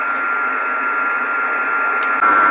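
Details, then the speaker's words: 12 V 30 A switch-mode supply (S-400 PCB) in metal case, heard through IC706 HF receiver: steady hiss with fixed whistle, louder as probe nears case at 240 V mains side; switching noise radiating from case. "where about on the case now that's near the 240 volt side of the um power supply so it's picking up some noise from the case"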